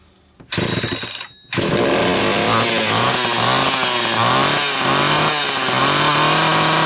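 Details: Homelite Super XL chainsaw after cylinder base gasket fuel leak repair, cleaning, starter cord rewrap and filed, gapped points: starts, revs cleanly and holds a strong steady buzz, pitch dipping and recovering under load; running healthy.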